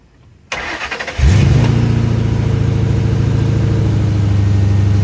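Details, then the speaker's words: Mustang with completely dead battery, jump-started with Hulkman Alpha Pro jump pack: cranks briefly, catches, settles into a steady low idle, then cuts off when the pack is turned off; owner thinks the alternator is dead, not confirmed. "Yeah, it cut off because not because of the jump box, but because of the uh the car."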